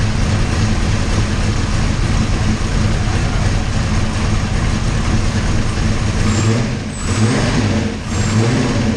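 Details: 408 Clevor V8 running cold after distributor gear issues were corrected, third attempt to get it running: deep steady burble with brief dips near the end, otherwise even beat; sounds much better, normal running.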